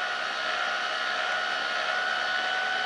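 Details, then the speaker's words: Yashica T4 Super D camera functional test, end of 15-exposure roll: smooth constant high-pitched motor whine as counter runs down and film rewinds into the cassette, motor stopping at zero; normal rewind. "five four three two one zero and now it should be just finishing loading it all back into the cartridge the motor should stop there it did"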